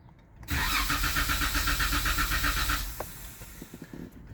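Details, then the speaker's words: 2016 Jeep Wrangler JK 3.6L Pentastar with Baxter oil filter adapter, after oil change, second oil-priming crank with gas and clutch floored: steady cranking about four turns a second for roughly two seconds, no firing, as intended. "You hold the gas and the gas pedal all the way to the floor and the clutch pedal all the way to the floor, and you crank it, and it will not start, but it'll turn over."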